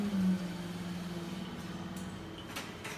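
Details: Vesuvius espresso machine after a leak repair, tested under pressure during a shot: steady low hum of the variable-speed pump that eases slightly as pressure builds, no sputter or rattle; pump working normally, no leaks.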